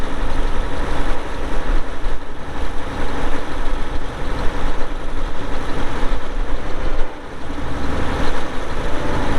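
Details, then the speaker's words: 2002 Volvo G736VHP motor grader, Cummins diesel, about 6,691 hours (hour meter not working): deep, steady low rumble with an even beat and no knocks or whine; idles cleanly. "it does start up and run good you'll hear that here in a little bit when we fired up and do the operational video"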